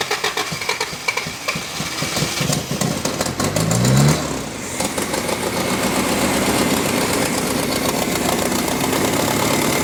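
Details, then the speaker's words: 1983 Toyota 4x4 pickup, 22R four-cylinder, sat at least 10 years, fuel leaking: cranks, catches after about four seconds, then idles unevenly with a gurgling, loading-up stumble; suspected carburetor flooding, not confirmed. "it'll gurgle pant yeah I can just hear it just gurgling down there almost like"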